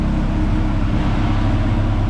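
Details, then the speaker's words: Integra after replacing an engine that had rod-knocked from extreme oil starvation: a normal, steady, smooth idle with no knock or tick, and no leaks. "Jim's car is running. I probably should have filmed a lot more of this. There's just been a lot going on. Been working on it a couple minutes here and there. Haven't really turned the camera on much lately. But anyway, it is running. Sounds alright."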